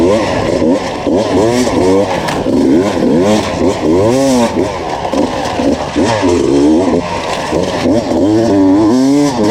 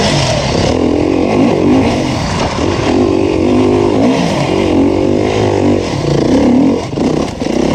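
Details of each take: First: 2019 Beta enduro test bike on a Finnish enduro track, screaming high with pitch swooping under load and no matching drive. It failed to climb a hill and struggled through two laps; the clutch was slipping. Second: 2019 Beta 350RR four-stroke enduro bike on a Finnish enduro track, a strong even note climbing and falling with the throttle with no knocks or rattles under riding load; the engine runs healthy.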